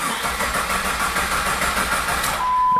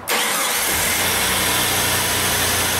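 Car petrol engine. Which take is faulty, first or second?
first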